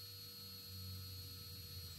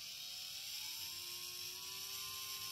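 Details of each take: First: Drone brushless motor, props removed, vibration test via Baseflight after replacing motor 4 with a brand-new one: faint, smooth, steady whine over a low hum, no wobble or rattle; practically no vibration. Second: Drone brushless motor tested without propellers via Baseflight: thin electric whir climbing in tone, with heavy vibration at low throttle that lessens at full throttle; possible causes include bent bell, loose magnet, lost balance weight or worn bearing.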